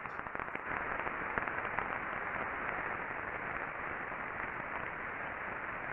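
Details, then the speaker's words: Ultrasound reading taken on the non-drive end bearing housing of a motor after greasing: a steady, even hiss, smoother than before, with faint scattered clicks of remaining friction from wear that grease can't fix. "you can still see that there is some indications of some friction and we can definitely reduce the friction being caused by lack of lubrication but we cannot grease bearing wear out of a bearing"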